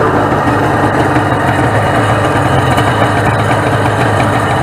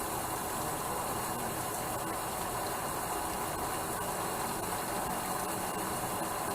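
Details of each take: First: 1996 Sea-Doo SPX 717 two-stroke jet ski from a yard sale, first start on premix fuel with oil injection pump disconnected: steady even buzz at fast idle, a little smoky, likely from oil still in the oiler; runs healthy. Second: 1996 Sea-Doo SPX 717 two-stroke PWC (owner says possibly a 1995) running on premix: a steady hiss of cooling water spraying from a fitting missing its O-ring; a replacement O-ring was taken from a 650 head.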